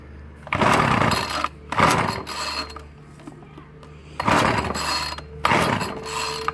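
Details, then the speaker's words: Ryobi 705R 30cc two-stroke petrol strimmer after fuel hose replacement, being pull-started: four rattling pull-cord bursts with no engine catching; cranks but won't start, suspected flooded (it later started and idled fine). "okay well now i've got it started i think all it was is i flooded it"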